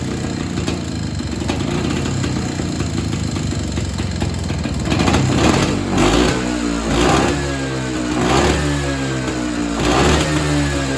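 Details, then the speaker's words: Evinrude Bobcat 25hp two-stroke snowmobile sat 20+ years, after carb diaphragm stack refitted: raspy revs surge and sag every second or so, never settling to a clean idle; owner suspects air leak or hardened carb diaphragm. "The Bob Rat isn't running the best. I can't really tune it. So, I'm suspecting either air leak or that diaphragm that was hard in the carburetor's probably giving us trouble and I'll need to get a kit."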